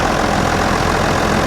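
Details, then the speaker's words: John Deere 7420 idling after Stanadyne DE10 injection pump replacement for ECU 1076 fault, click test passed, leak underneath being fixed: even, steady diesel clatter, no surging, knocking or misfire; normal idle. "Well, click test shows that it's working pretty nice. That's perfect."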